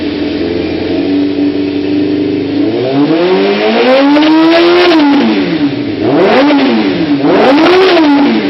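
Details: 1992 Kawasaki ZZR-600 (ZX600D) four-cylinder after renovation with new chain, sprockets and brakes, likely stock exhaust: starts up to a clean steady idle, then smooth crisp throttle blips; normal start-up and revving.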